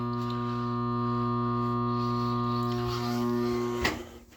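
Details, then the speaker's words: ICP/Carrier furnace blower motor at startup, capacitor already replaced, no heat reaching the vents: steady motor hum for about five seconds instead of the normal 15 to 20, then it cuts out abruptly with a click; the failing motor is being replaced. "when I got here before you hear that the blower actually started but within 5 Seconds it just did that"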